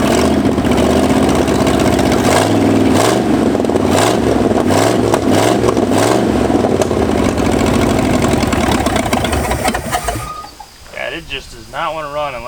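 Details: 1965 Ford F250 revived after 26 years abandoned: revs surge and sag unevenly while the throttle is worked, then it dies at about ten seconds; cause was ignition timing, later advanced about 12 degrees.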